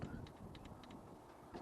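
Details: Renault Alpine V6 Turbo fuel injector tested off the engine on a separate battery: faint sharp ticks, about three a second, over a low rumble. The solenoid is clicking open and shut normally; an injector had previously been stuck.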